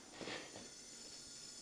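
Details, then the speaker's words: 1989 Citroen CX 2500 GTi, off the road since about 2007, leak-down test after a breakdown with spark plugs out: faint steady hiss of escaping air. Slight leakage past the rings, no leak into the coolant, cylinder one good. "there's not a lot of leak down here but there is a bit on the Rings but that is to be expected nothing on the uh coolant though"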